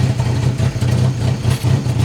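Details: MK3 VW Jetta with vacuum hoses come off: an uneven, lumpy idle, the low drone surging and sagging about every half second, rough idle from the disconnected vacuum hoses.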